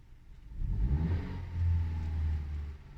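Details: Tata Altroz naturally aspirated petrol (compared with Hyundai i20 Elite petrol): engine swings up in a smooth rev and eases back down, deep and even with no knocks or rattles; normal revving.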